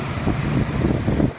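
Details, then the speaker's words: GMC Envoy 4.2 after EVAP purge and O2 sensor heater circuit fix, run about half an hour with restarts: short steady low even rumble with wind on the mic; smooth healthy idle, no check engine light. "it's been running probably half hour on and off I've been starting and shutting it off and restarting it and no check engine light"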